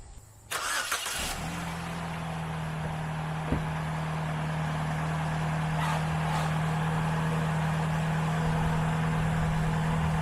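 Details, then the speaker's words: Auction car with heavy rust: short crank catches at once, settling into a smooth, steady idle with an even low hum; motor itself sounds good. "i mean motor itself sounds good"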